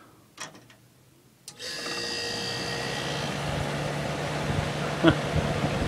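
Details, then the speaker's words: Magic Chef 25-pint dehumidifier: after clicks, a steady low hum and soft whir as the fan turns sluggishly and never speeds up. The fan motor spins freely by hand but overheats to about 195 degrees and slows almost to a stop; owner suspects a failing motor. "Yeah, it's still going slow. It's a lot slower than it should be going."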